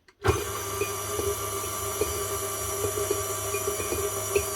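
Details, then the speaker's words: KitchenAid Artisan stand mixer running: steady motor whir with sharp ticks about twice a second as the beater strikes the bowl because the head sits too low; fixable by adjusting the depth screw with a flathead screwdriver. "hear that noise that's the beater actually hting off the bowl that's why it has that pattern on the bottom"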